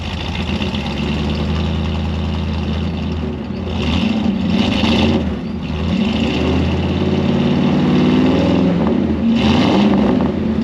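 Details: Ford 302 V8 Econoline van, cold start after replacing bent #5 intake pushrod (suspected stuck valve), dual exhaust. Settles into steady low idle, a touch uneven while cold, no tick or clatter; runs healthy, apparently on all eight.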